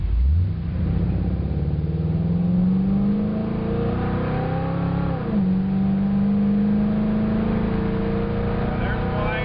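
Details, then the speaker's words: Ford 302 V8 wagon during carburetor power-mode calibration, second run at wide-open throttle from the start; revs climb smoothly with a brief dip at a shift, no stumble or surge, and it keeps pulling. "There's wide open. All right, that felt pretty good. It kept pulling. Kept pulling."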